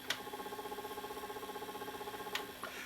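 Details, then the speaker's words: Panasonic PV-4361 VHS hi-fi VCR in reverse search, picture shaking horizontally: quiet rapid ticking about four a second, like a missing phase; suspected fault in the drive IC. "put into reverse search what Watch What Happens oh it works it just makes that just makes that clicking sound I have a feeling it's to do with the drive I see over here it's like we're missing a phase"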